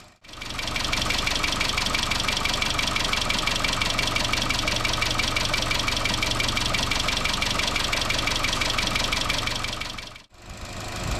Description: 2013 Chevrolet Cruze 1.4 Turbo engine rattle caused by loss of oil pressure in valve lifters oil galleries due to loose timing chain upper guide.